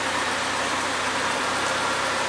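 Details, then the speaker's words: Second-hand Triumph Dolomite 1300 engine (large crankshaft end float) just fitted to a Gentry MG TF Replica, ticking over at temperature with almost 75 psi oil pressure: even, settled tick-over with a steady light hiss and no knocks or hunting; normal warm idle. "In the meantime, she's still ticking over, almost 75 pounds oil pressure, and she's up to temperature as well, so it's looking good."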